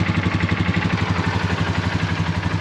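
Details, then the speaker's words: Polaris ATV after pulling the engine to replace a bad starter gear, first start after refilling oil and coolant: steady even idle with a smooth low pulse, no grinding or knocking, no leaks. The engine runs healthy. "But you can hear the starter sounds really good. No grinding. Fires up first try. Looks good. Sounds really good. Sounds really nice."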